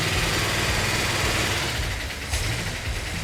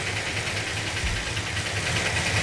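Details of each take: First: Freshly built 440 Magnum V8 with new roller rockers and roller lifters, first start, good oil pressure: brisk even idle after throttle blip, sharp responsive pickup, no standout knocks or ticks; healthy, though valves may need readjusting on one or two. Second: 440 Magnum V8, first start with new roller rockers and roller lifters: lumpy idle with a light, quick ticking on top. Valve lash on one or two valves likely needs readjusting; suspected, not confirmed.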